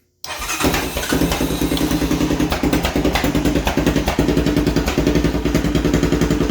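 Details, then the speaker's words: 2011 Honda Recon ES 250 ATV, first startup after an ignition switch replacement: it starts but runs rough, with an uneven, lumpy, stumbling single-cylinder beat rather than a smooth idle. It still shifts, and the neutral light works. "you hear that? It's not running real well."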